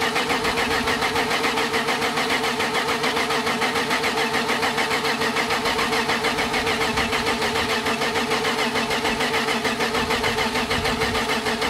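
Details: BMW E30 with freshly built M52 turbo engine (Athena head gasket, modified M50NV/M54B30 cams, Megasquirt) on first start attempt, battery weak: steady rhythmic cranking about three and a half beats a second, never firing; cause not confirmed.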